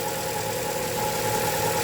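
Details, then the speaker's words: 2011-2015 Chevy 1.8L at idle after timing belt, valve cover gasket and spark plug replacement: thin constant high whine over a steady idle, which the owner expected from the very tight new timing belt; engine otherwise sounds good. "That sounds good. I knew that belt was gonna have a little noise because that thing is tight as"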